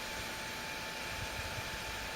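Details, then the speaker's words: Opus BT-C3400 Li-ion charger, two years of frequent use charging 18650 cells harvested from laptop batteries: the small fan in the back hums with a steady airy whir and thin constant tone, very noisy while moving very little air. "That's what you're hearing. You're hearing this little bitty fan in the back of this charger, humming away."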